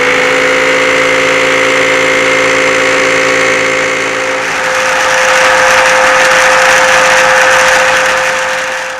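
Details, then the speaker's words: Hoover WindTunnel vacuum, not very old, running with a steady high whine, rushing air and a harsh fast rattle from the brush roller, though nothing is inside it; worn roller bearings, fixed by replacing the roller. "It's making an awful rattling noise, like there's something in the roller, but there's not."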